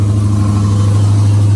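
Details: 2011 Coyote 5.0 V8 swapped into a Fox Mustang with a built forged AMS Racing short block, stock heads and cams, at first start after the swap: deep, steady, even burble with no knocks or ticks; normal idle, strong oil pressure.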